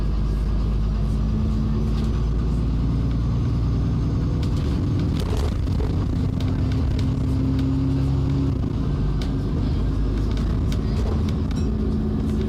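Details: Stagecoach London Alexander Dennis E400 Euro 5 bus with Voith 4-speed gearbox on route 5 to Romford Market: deep, uneven gurgling rumble under the engine drone with rising and falling gear whine; gurgling engine noise, cause unclear.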